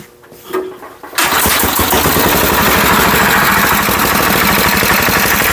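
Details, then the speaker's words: Abandoned vintage Wisconsin AENL air-cooled 9.2 hp engine starts after a pull and picks up straight to a fast, unregulated run; owner must hold the governor arm back or it over-revs; governor fault. "Wow, I didn't think it'd start that quick. Yeah, it does have a governor issue on it. I have to hold the arm back on it, otherwise it wants to rev to the moon."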